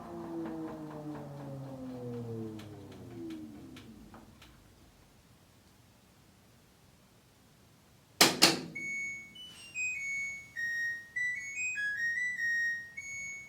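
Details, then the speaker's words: LG WT1101CW top-load washer, test run after fixing the IE error with the drain pump running continuously: the drum hum winds down, a door clunk follows, then a bright stepped beep melody plays; the cycle completed normally. "and there's that noise we've all grown to love and hate simultaneously"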